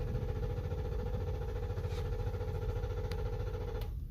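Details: 2013 Lexus LX 570 (Toyota) cranks but won't start: starter turns at an even low chug about 3.5 beats a second, engine never catches; caused by a faulty or misplaced EFI relay, diagnosed without a scanner.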